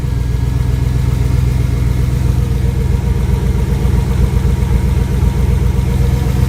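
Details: Rebuilt 5.3L V8 after replacing a bad lifter, idling after final assembly: steady low rumble with even pulses and no obvious tick or knock; lifters fine, though the mechanic says there may be a small cam problem.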